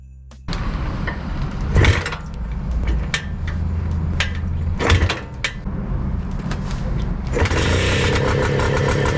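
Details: Bultaco Alpina 350 two-stroke with a new carb and new aluminium tank, starting after a new condenser replaced one suspected of causing weak spark and a no-start. It catches, pops a few times and settles into a steady buzz, firing properly.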